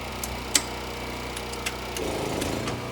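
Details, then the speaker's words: Heat pump AC compressor starting with Soft Start Home on inverter, battery supply only: a few light ticks, then low hum swells in smoothly with no hard thump; about 23 A inrush versus 200+ A without soft start, running about 9.4 A. "Wow, that was smooth. Look at that. 23 amps. That is amazing."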